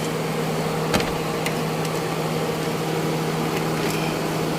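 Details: Car that wouldn't start (no power from battery) after rewiring and battery swap: steady even idle hum, constant low tone, no misses or knocks; engine running normally after the fix.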